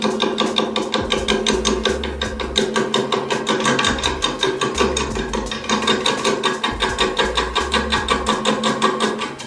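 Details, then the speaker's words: Woodturning lathe truing up a bowl blank that is not yet round: gouge resting on the tool rest taps the high spots in a steady knock, two to three per second, so intermittent tool contact is heard. Out-of-round blank. "what it means it's not completely flat and you can feel it too or you can hear it"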